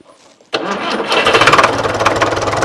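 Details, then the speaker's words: Tractor diesel fires immediately after timing adjustment (it had been popping, thought too far advanced; then too much timing, backed off slightly) and runs up with a steady clatter, no popping or stumbling; running properly. "Right, so that was too much timing, but it sounds much better, doesn't it?"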